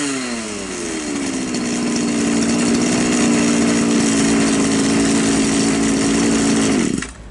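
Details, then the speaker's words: Champion T266 trimmer, which had been hard starting and stalling at idle, after raising the idle screw on a carburetor with no fuel mixture screw: drops from higher revs to a steady, even idle for about five seconds before shutoff; idles fine. "в принципе нормально триммер работает хорошо"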